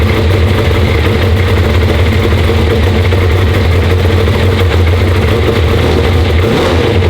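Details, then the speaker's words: LS V8 race car after cranking and checking oil pressure and air-fuel ratio: deep, steady, even V8 rumble with no knocks or ticks; the motor sounds healthy, normal running. "foreign yeah no it sounds the motor sounds good"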